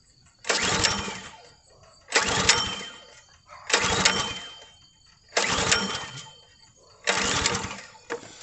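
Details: Log splitter small engine that won't start, pull-started after clearing fuel from head, choke off: five raspy sputtering pulls that never catch; gas built up inside carburetor bottom suspected as cause.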